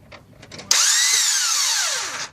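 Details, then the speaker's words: 2000 Nissan Altima GXE 2.4L no-start: a high, thin whir rises and holds about 1.5 seconds, then spins down with no cranking beats and the belts don't move; the starter freewheels without turning the engine. Cause suspected. "it just rotates engine doesn't even attempt to start just a continuous rotation one more time all right"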